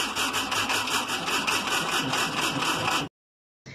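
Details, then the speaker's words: VW Combi (Beetle-type), starter remounted after solenoid replacement, engine cranking: slow, laboured chugging around three beats a second before cutting out, starter got hot; dismantled to find why. "problema es que lo hizo de una manera muy muy despacio entonces me fui a la a la parte de abajo de del motor a revisar la marcha y esta estaba caliente"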